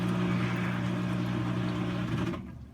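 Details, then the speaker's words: Maytag Centennial Commercial Technology washer, model MVWC360AW0, running a diagnostic test cycle: a steady low pump hum with water rushing out, then a clean cutoff; it drains fully and normally. "And then it'll pump out. And it needs to fully pump all the water out."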